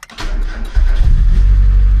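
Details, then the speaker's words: Mazda Miata that lost charging and overheated, restarted after repair and a battery charge: brief crank, catches cleanly into a strong even run with no squeal, sounds much better than before; normal start. "Okay, so it starts. It sounds also better now. Yes, that sounds a lot better."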